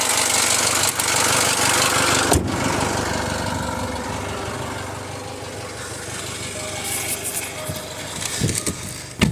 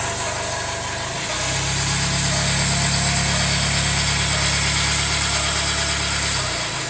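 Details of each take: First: Jaguar F-Pace 204DTD diesel after owner's rebuild, injector sound deadening not fitted: steady idle, loud even injector clatter, no knock or misfire; loud inside the car, owner judges it normal and running great. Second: Jaguar F-Pace 204DTD diesel, self-rebuilt with used polished crank: first runs after rebuild, engine mount now connected. Loud, coarse idle that picks up briefly then settles, uneven gruff note; rough, owner unsure if normal, suspects exhaust blowing or needs warming up.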